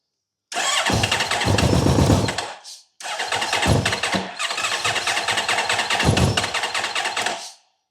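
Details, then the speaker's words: Honda VFR1200F that misfires, won't idle and runs rough below 4,000 rpm, started on jump cables with little fuel: ragged, stumbling running that briefly dies and catches again; still misfiring. "There's not a lot of fuel in it, to be honest. Definitely still misfiring."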